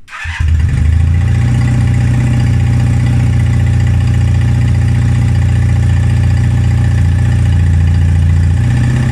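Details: 1978 Honda CB250T twin after work: previously wouldn't start, sputtered and fell flat when revved; now catches cold after a brief crank and settles into a steady, even low thrum with no sputter or bogging, revs cleanly.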